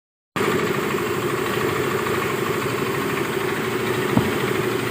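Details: Mio i 125S scooter engine at idle, before an engine overhaul: a steady, rough, knocking rumble from a worn crankshaft.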